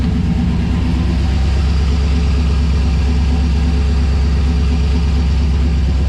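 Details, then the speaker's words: LS1 V8 in a 1951 Chevrolet custom on Holley Terminator X Max EFI at first start after coil harness re-pinning: cold rough idle with uneven loping beat, about three pulses a second, starting to even out; owner unsure, possibly ECU warm-up mode. "But but yeah, so she goes, it is starting to even out a bit. Not sure what's going on. Might be in it sort of wake up mode."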